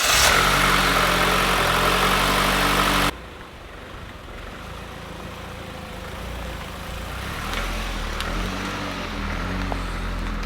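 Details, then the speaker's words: Mitsubishi Evolution with brand-new rebuilt engine, first drive during break-in: a loud burst drops to a quiet, smooth, even idle with no knocks or ticks; healthy. "This is ridiculous. How is a car this quiet? An EVO?"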